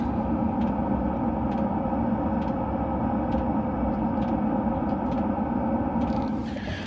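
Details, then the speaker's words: 2023 Mercedes Sprinter van conversion, heater fuel pump mounted near the fuel tank, heater idling at 65 degrees: sharp even ticks about once a second over a steady low hum; normal fuel pump metering. "These little fuel pumps, as you could hear, did you hear that fuel pump ring? That's what it should sound like in normal operation, as the heater is running right now."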